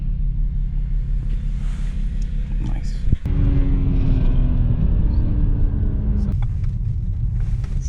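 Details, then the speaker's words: BMW 335i N54: deep uneven rumble at idle with a loping, stumbling beat, indicating a misfire. The fitted secondhand coil is suspected bad; another coil will be tried next, then plugs, then injector. "okay so some more testing uh he fitted a secondhand coil and he thinks it's a bad one so we're going to another coil to do some more testing"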